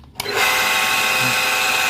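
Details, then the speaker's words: Rewound National Trans 125 water pump motor starts and runs with a rough, gritty hiss over a steady hum because its bearing rusted after water got in; the bearing was not replaced, suction is normal and the motor stays cool. "Dan untuk dinamanya juga ini adem ya, cuma suaranya aja kasar karena bearingnya udah karatan kemarin ya, karena ini kan korban masuk air juga kemarin, jadi agak karatan."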